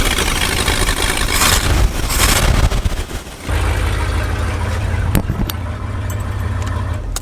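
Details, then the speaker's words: Lifted Bullnose Ford V8 after a carburetor clean, first start after sitting almost 4 years; it catches, revs, then settles into a deep, fairly steady idle, described as probably the best it has ever run, normal idle. "just like that started right up and honestly I have to say it's probably the best the Ford has ever ran"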